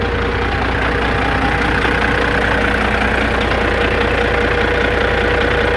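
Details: 1997 Peterbilt 379 with Cat 5EK diesel, reassembled after the idler gear was removed and the cam moved: steady idle with a fast, fairly even knock about two and a half a second; gear train noise, cause unconfirmed.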